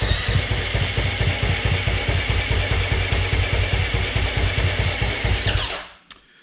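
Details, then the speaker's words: Husqvarna FS450 that died suddenly on the track, fuel and electrics checked; starter cranks in even thumps about two and a half a second, almost catching but never firing; spark present, low compression from leaking exhaust valves. "so i don't know if you can tell but there's a little moment where it almost catches so it sounds like we've got spark"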